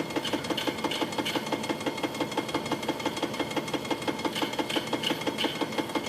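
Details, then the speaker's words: Webster 256 record changer from a Garod 15TZ6, motor relubed with new bushings, tone arm returning prematurely: steady mechanical clatter about three per second with light scraping; changer sounds like it catches and sticks mid-cycle, cause not confirmed. "what is that he stuck right there I think can't I can't go forward anymore"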